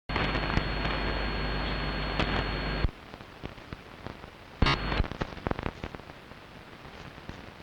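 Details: Strange noise on long wave radio, recorded 0134 UTC 06.06.2012 with DSL modem and router off, not from the home: irregular sharp crackles and pops over hiss, no steady rhythm; outside electrical interference of unknown origin.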